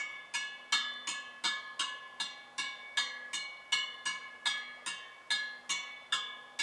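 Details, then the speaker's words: Honda 50 step-through 36-spoke wheel, owner-rebuilt and just trued, tapping the 18 spokes on one side: crisp high pings about 2.5 per second, each ringing near the same note; spoke tension even. "they all seem to be playing pretty much the same note to me anyway although i lack musical talent i'd say they're all playing pretty much the same note"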